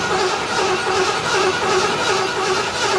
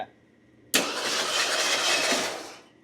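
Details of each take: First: 1975 Ford LTD abandoned about 28 years, first start on fresh gas: right after firing a steady piercing squeal sets in and steps up in pitch; source unclear, owner guesses alternator charging. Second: Circa 1975 Ford LTD abandoned 28 years, starter energized at the solenoid: short, even whirr turning the engine over with no catch; idler, power steering pump, fan and alternator rotate, engine not seized; normal cranking.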